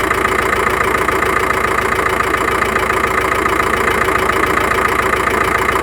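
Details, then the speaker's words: Volkswagen T5 engine at idle in for diagnosis: steady, even running with no misfire, but a crisp tick about three or four times a second from under the valve cover; cause unknown, to be opened up. "Вот слышно, что-то простукивает, непонятно что. Двигатель работает четко, ровно, не троит."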